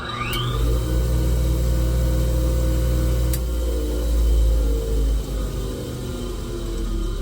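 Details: 1977 Wissota S8-B (rebadged Foley) grinder with original 8-inch, 1/2-inch bore, 3/8-inch thick disc fitted: motor whines up to speed within a second, then steady low hum, no rubbing or vibration; normal running.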